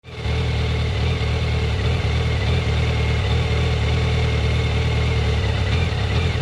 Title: Fz1 rough idle and stuttering at low rpm ( when warm )